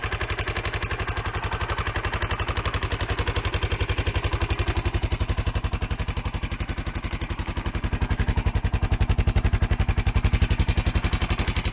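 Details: Honda XR650L single-cylinder engine with a sharp, fast tick over the exhaust beat that quickens with revs: loose valve seat, usually caused by overheating from running lean with aftermarket exhaust and air filter on stock jetting.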